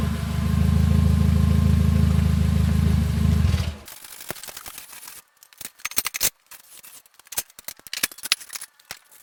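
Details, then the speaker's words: 2016 Nissan Versa Note with the muffler rusted off at the mid-pipe flange, before repair: loud deep raspy unmuffled drone for about four seconds, then stops; exhaust leak with muffler rusted off. "So just in case you wanted to hear what a muffler deleted Nissan Versa sounds like, this is what it sounds like."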